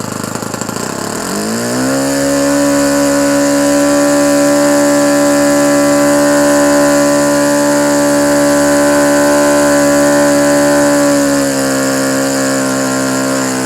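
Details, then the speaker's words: Restored OS FS-120 Surpass 20 cc four-stroke, new ring, 15x8 prop, breaking in on 5% nitro fuel with 20% oil (15% synthetic, 5% castor). It climbs, then purrs smooth and steady with no misses at good temperature, well oiled and bedding in properly. "Il ronronne bien, il est à une bonne température, on a pas mal d'huile, donc il est en train de se roder bien comme il faut."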